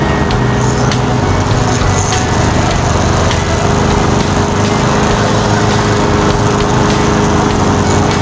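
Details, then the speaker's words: Toro Commercial 22155 walk-behind mower with Honda GSV190 engine, previously a non-starter, now running after servicing and a new air filter; steady fast single-cylinder putter with even beat, no misses or knocks; normal running. "Quite the sight to see when they fire up and they run perfect."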